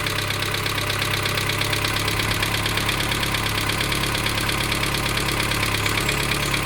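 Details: 1987 Dacia 1310 (Renault 12) cold-started after two days sitting, with a quarter choke: steady knocking at about two beats a second over a rough cold idle, unchanged after a bearing change and expected to fade as it warms; source unknown.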